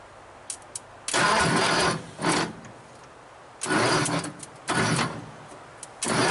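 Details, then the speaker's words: 1948 Nash first start with gas poured into the carburetor, battery moved and wiring issues, no throttle return spring: several short bursts, each catching under a second then cutting out; fires briefly then dies, loose connection suspected. "okay all right we've lost a fire for some reason let me check it out won't come back loose connection"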